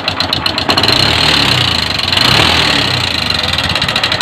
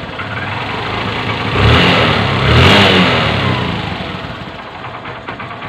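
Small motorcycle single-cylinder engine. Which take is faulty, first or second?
first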